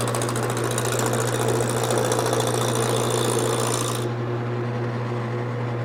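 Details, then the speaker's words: Wood lathe with the gouge started slowly on an off-center, out-of-round blank. Steady motor hum with a fast, uneven chatter, about three or four hits a second, as the gouge knocks off the corners. Intermittent tool knocking. "when I start I want to start in slowly till I hear it and once I hear it I want to drag it across evenly not letting it bounce around and at the beginning you want to start slow"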